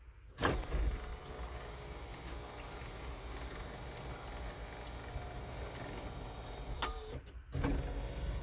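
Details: Mercedes G-Class W463 sunroof after the fix (a hose re-routed without kinks and secured with a hose clamp), which cured an "aliens in the roof" noise: soft, even motor hum with clean stops at each end, no clicking or grinding. Normal operation.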